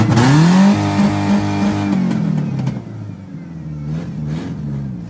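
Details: Ford Ranger, battery kept on a tender and alternator a known problem, started before an oil test: it catches quickly, flares up with a rev, then settles into an even, steady idle; starts and runs normally.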